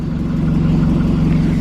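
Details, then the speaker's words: Ford Escape four-cylinder, 126,000 miles, just jump-started, low on fuel: steady idle with faint rhythmic puffing on the low rumble; owner suspects a small exhaust leak, not confirmed. "it is low on fuel and it's kind of locked so i am very curious if there is an exhaust leak like it's not terrible"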